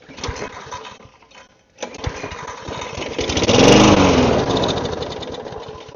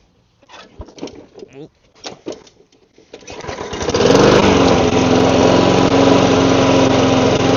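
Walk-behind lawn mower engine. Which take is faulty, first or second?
first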